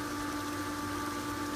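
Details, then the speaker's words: Pool pump running on filter with a quiet, steady, clean hum and faint water rush; much quieter than the other pump. "all right now that is way way way quieter than the other than"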